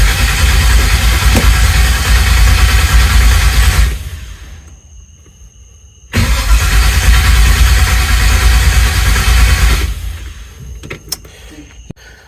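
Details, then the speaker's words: Chevelle after swap to 350 engine and 400 transmission: two long even cranking runs of about four seconds without catching, then a brief stumble as the key is released; owner suspects the ignition wire lacks 12 volts in start position, unconfirmed. "I wonder if this wire that we're using now doesn't have 12 volts going to the ignition when it's in start position we need to put a meter on there and check it because when I let off the key that's when it fired and try to r"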